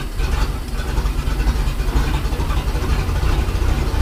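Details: Mercruiser 4.3 boat engine (Manta Ray) idling after fuel line and filter replacement and broken oil pressure safety switch tee repair; steady, even low rumble with no misses or knocks, runs cleanly.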